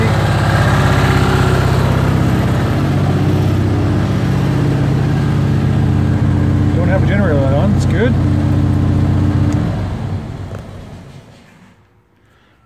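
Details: BMW 600 limo with 23,000 original miles, started after replacing all fuel lines: a deep, even two-cylinder drone holds steady with no knocks or misses, then dies away smoothly at shutdown. Normal running.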